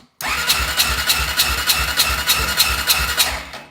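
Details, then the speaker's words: Honda 400EX after recent rebuild and new head gasket, compression 30 psi versus about 90 normal: starter cranks a fast, even whir about three and a half beats a second with little resistance; low compression, blown head gasket, owner suspects warped head or loose bolts. "as you can see we got 30 psi and I just did a rebuild on this thing so it was pushing about 90 and that's about about normal and I put any head gasket on there so I think either it's the head that got warped or it's loose"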